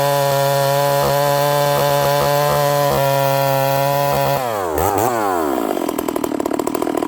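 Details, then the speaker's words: Stihl 038 Magnum chainsaw with carburetor problems: a little bumble and stumble coming off idle, sounding very rich as it returns to idle with smoke fogging out. Leaning it out made it far too lean. The open muffler front is also getting chain oil. "You can hear a little bumble, a little stumble off idle."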